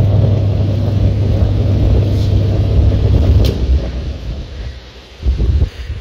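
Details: Washing machine that ran its motor but didn't spin and made noise, after gearbox replacement and refitting the belt: steady low motor hum for a few seconds, then smooth wind-down, no grinding or knocking; washer healthy after repair.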